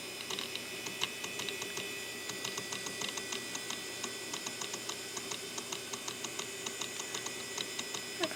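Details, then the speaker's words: IDE hard drive from eBay, power-on test: soft rapid ticks in repeating irregular bursts as the heads keep seeking and the drive never comes ready; not a classic click of death, but the drive is probably not working. "Okay, it probably is not working cuz I can hear the head kind of. It's the head is trying to seek in there. It's not particularly a click of death, but it is trying to read."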